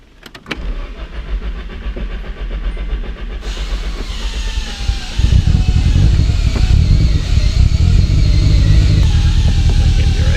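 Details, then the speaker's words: Nissan 240SX with a built SR20DET on first start-up before break-in, oil pressure decent: starter whir, then a deep idle whose beat wavers slightly; bouncy rough idle, owner suspects the idle air adjustment needs setting. "the idols a little bouncy probably need to adjust the idle air temperature adjustment"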